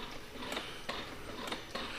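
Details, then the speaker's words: 2009–2014 Yamaha R1, diagnostic mode actuation test, engine off: faint quick mechanical ticks and whirs about every half second in a quiet room as the throttle plates move; throttles working correctly. "you can hear the throttle actuating so you know that your throttles are working correctly"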